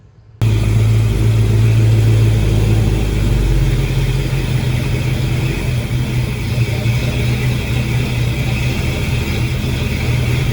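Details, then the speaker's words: Chevy 350 small-block V8 swap running and revving with an uneven, stumbling beat; spark tester on plug number 1 shows no spark at all; dead cylinder misfire. "I got a spark tester on plug number 1, and we about to see what we get on it. I'm getting just nothing."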